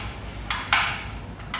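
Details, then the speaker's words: New weather station rain gauge: light sharp clicks, three within two seconds, from the tipping bucket rocking inside the rain collector when moved; normal, not shipping damage. "this is where the sound comes from and here's the outdoor sensors so the sound is perfect to run it so it's from the rain collector it's all okay your products okay no problem"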